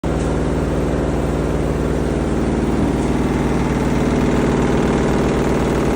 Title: Front load washing machine Sound Problem